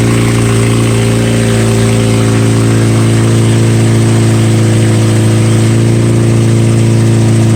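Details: 2007 Mazda 6 2.3 with straight-piped exhaust (no cats or mufflers): loud open-exhaust drone with a dull knock about three per second underneath; rod knock.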